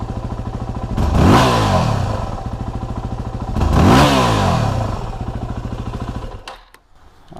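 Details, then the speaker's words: 2008 Yamaha WR250R single, engine warmed up, idling then hard throttle snaps from idle: revs hang about half to one second before climbing, a bog from low fuel pressure, fixed by replacing fuel pump and pressure regulator. "there's probably about a half to maybe a full one second delay from the time that you really roll on the throttle hard until the time the engine RPM jump up"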